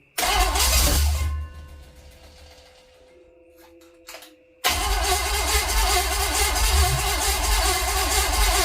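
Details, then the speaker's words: Mystery small-block Chevy 350, meant for a 1959 El Camino, cranked on a final try after refitting the distributor, wires and coil; sounds about to start but never fires, then goes quiet: crank no start. "it so sounds like it's going to start and then nothing"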